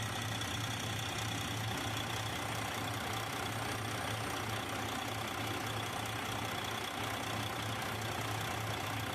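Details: Detroit 60 Series diesel after heater hose replacement and coolant refill, running for a leak check; steady, even idle with a smooth low clatter and no misses or knocks; normal idle.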